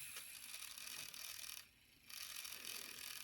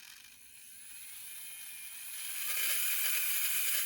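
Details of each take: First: Bowser K11 4-6-2 model locomotive motor during a tune-up: thin, high-pitched chattering whine from dry motor bearings that need oil. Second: Kit-built Bowser K11 4-6-2 model steam locomotive during a tune-up, run after cleaning and oiling: light, even high-pitched whir holding steady, stopping cleanly between runs, no catching or clatter; running nice and smooth.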